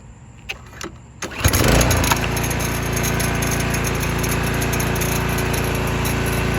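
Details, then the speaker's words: 2021 Toro Timemaster mower running steadily after a pull start, with a light, quick metallic clicking rattle about four per second on top: loose recoil starter pawls rattling, an irritating noise the owner stops with a known fix. "That clicking, rattling noise that comes from the Timemaster is just so irritating to me."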